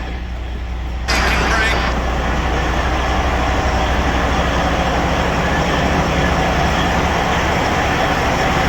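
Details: Detroit Series 60 14L semi truck on first start after a DIY in-frame rebuild, with white smoke (owner suspects injectors or overhead): after a brief crank it settles into a steady, even low idle rumble; normal diesel idle.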